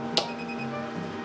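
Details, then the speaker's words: Dayton Audio SPA500 subwoofer plate amp after anti-pop mod, RCA input connected, gain all the way down: one small sharp tick at switch-on, then quiet steady hum; minor acceptable turn-on pop from slight output offset. "This time it's 0.5 volt. higher than last time, but it's still pretty acceptable. A little bit of pop, tick or pop in the turn on is acceptable."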